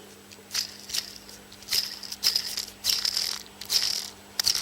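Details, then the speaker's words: Old timing belt tensioner from a Perodua Kenari (Daihatsu 1.0 three-cylinder) spun by hand: short bursts of dry, gritty rattle; bearing grease drying, judged not severe yet. "now I don't know if you can hear that it's not bad it's it's not um it's not horrendous and it would probably last for um a good few thousand miles but it's certainly drying up you can hear that"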